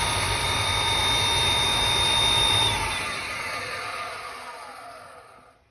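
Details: Riello 40 F5 oil burner: a thin, steady high squeal over the burner's rush, then it winds down. The motor bearing (sealed, no lubrication points) is the suspected cause, unconfirmed.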